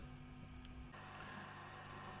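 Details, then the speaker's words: Dallas Scala single-ended valve guitar amp, back in its case after repair: it idles very quietly with the hum gone, leaving only a soft steady white-noise hiss and faint low tones. "right I've got this Dallas Scala back in its case and you can hear now it's much quieter the humming's gone we've obviously got the white noise in the background"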